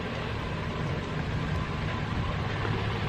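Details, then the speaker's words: Car bought sight unseen that had shown blue smoke, just after an oil change with full synthetic 5W30; steady, even low rumble with no knocks, ticks or misses, no blue smoke seen so far; normal idle. "But it sounds healthy, and actually let me see if there's any blue smoke, you know, after the oil change."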